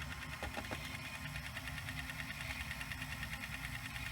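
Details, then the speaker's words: Sanyo VHR-H519 VHS VCR rewinding an EP tape before cleaning: light, fast, uneven rattle about three a second over the spool whir; source unknown, tape not being chewed, pinch roller solid. "what's making that rattly sound I have no idea what that was but it's not chewing the tape at all which is very good"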